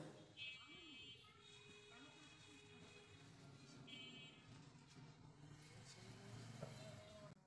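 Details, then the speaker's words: CRT TV after its EHT cap was replaced: runs quietly with a low hum, and the earlier loud crackling from the back of the set is gone; no high-voltage arcing after a long test. "আপনারা হয়তো শুনতে পারলেন আমাদের টিভির পিছন থেকে কিন্তু totally কোন ব্যাট সাউন্ড আসতেছে না"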